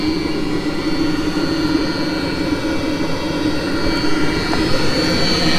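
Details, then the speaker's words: Mercedes Sprinter van, coolant heater burner started occasionally to keep it working: steady loud jet-like roar with a faint high whistle, no stumbles; running normally. "if it's clean looks like you can say sounds like a jet engine going"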